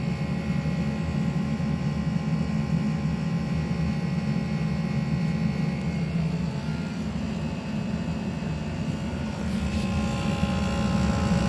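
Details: A.O. Smith hybrid heat pump water heater, the second unit to do so, running with a loud steady low buzz under a rushing fan, audible upstairs through the floor; the first unit was diagnosed bad by a tech.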